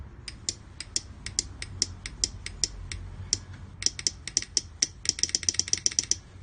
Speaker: as I touch it you can either the part of the relay clicking and power it on